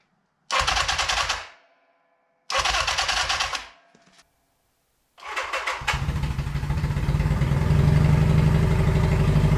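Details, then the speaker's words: 1982 Honda Nighthawk CB650SC inline-four motorcycle after long sitting and carburetor replacement: two cranking bursts, then a choppy, lumpy idle, misfiring and dying when revved, sounding like only two cylinders running. "I can't rev it without a dying or misfiring and it sounds like it's only running on two cylinders an inline 4 should not have a choppy sound like this it should be smooth"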